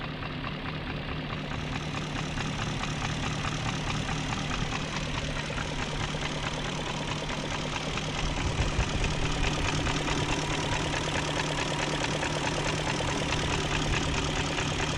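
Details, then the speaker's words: 2001 BMW E38 740i V8 after timing chain guide replacement (new tensioner, guides, gaskets, seals, O-rings, oil distributor gaskets). Steady even idle with a soft hum, injectors clicking, no rattle, no exhaust smoke. Normal idle. "no smoking at the exhaust and i hear the injectors clicking new chain tensioner new timing chain guides gaskets seals o-rings and then those oil distributor profile gaskets"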